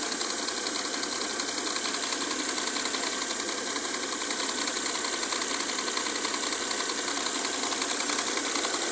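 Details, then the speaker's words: Mercedes W212 with M272 V6: a steady light clacking or ticking of about 160 per minute over a smooth idle, which the owner thinks comes from one area of the engine; the source is unknown. "Woher kommt das Klettergeräusch? Klack, klack, klack, klack, klack, klack. Ich glaube hier aus diesem Bereich."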